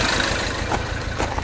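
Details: Mini Cooper Clubman S idling after new plugs and swapping coils between cylinders 1 and 2: lumpy, uneven idle with irregular stumbles; random misfire persists and runs worse under load; owner suspects the high-pressure fuel pump, unconfirmed.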